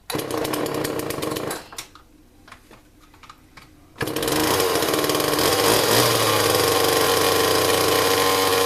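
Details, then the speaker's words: 1995–96 Homelite XL 32cc chainsaw: raspy buzz fades and stalls in under two seconds, then restarts and only keeps running when held at high revs; it won't idle. "go ahead and like you start it up they don't run but it doesn't want to idle"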